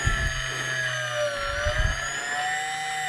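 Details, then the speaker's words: Small brushless motor on single-coil experimental driver, 12 V, 430 mA, about 11,300 rpm: high steady whine with a faint dry rattle underneath; motor bearings worn. "Now the bearings are a little bad on there, and so you're going to hear that rattling, but running at 12 volts and drawing 430 milliamps, and RPMs are 11,300 something."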